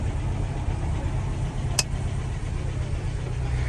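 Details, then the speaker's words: 1963 Humber Sceptre that stood 7 years, newly revived: low, steady idle with an even beat, no knocks, misses or rattles; clutch seized on flywheel, gearbox probably to come out. "But she's running, mate! Happy days!"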